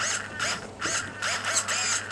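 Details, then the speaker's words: 1/5 scale AoWei Yama petrol truggy before engine break-in, radio on, checking throttle linkage: short quick servo whirs about five times in two seconds as the linkage sweeps freely. Normal throttle servo operation. "turn your radio on I thought this one was already on but it's not there we go check to make sure that your throttle linkages are all working"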